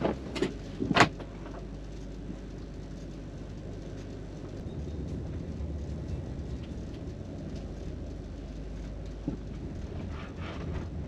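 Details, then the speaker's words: 2001 Toyota Avalon test drive after replacing rear sway bar bushings (17 mm bar) to cure a clunk on back roads: smooth road rumble and tyre hiss, no clunks or rattles over bumps; suspension now quiet. "it is fixed absolutely no rattle that solved it those rear sway bar bushings took care of it"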